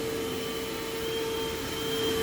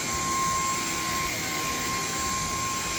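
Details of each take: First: Simplicity/Riccar-type upright vacuum with a bent base plate running steadily: thin, constant, fairly quiet squeal from a slipping drive belt. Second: Cordless vacuum running normally: steady high motor whine with an even airflow hiss, no surging or rattle until switch-off; working fine apart from minor power head and bin quirks.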